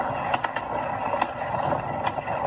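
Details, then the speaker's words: Nireeka Prime e-bike, mid-drive motor, only 120 miles on the odometer: sharp irregular clicks break through the pedaling drone every fraction of a second as the pedal slips; owner suspects slipping in the internal gearbox, maker calls the noise normal. "the pedal is slipping while I'm while I'm pedaling so there's a slip in the gearbox"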